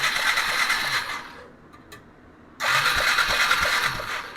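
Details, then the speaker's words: 2001 Yamaha Bear Tracker 250 ATV that sat a long time, after a corroded connection was cleaned: two bursts of whirring starter cranking with no firing. Crank no start with no spark, and no voltage found at the coil. "No. All right, we're not getting any spark."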